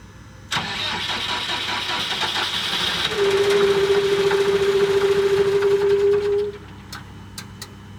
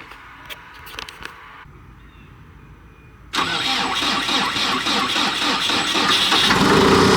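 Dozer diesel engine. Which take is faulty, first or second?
first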